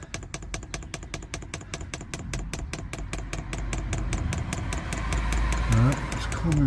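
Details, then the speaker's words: Newly fitted diesel heater in an LDV Convoy, first fuel priming: dosing pump ticks sharply about two and a half times a second as fuel and air bubbles come through the line; pump working normally. "all right that's going don't know if you can hear the pump"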